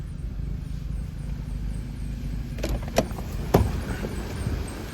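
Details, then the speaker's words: Toyota Auris diesel after petrol-contaminated fuel was drained and refilled with diesel: low, steady rumble with even beat and a few light clicks; running smoothly, normal idle; fuel filter replacement recommended. "we drained it out of it and we topped it up with diesel and this thing is now running um nice and sweet the way it should"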